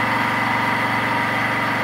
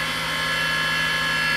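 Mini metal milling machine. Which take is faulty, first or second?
second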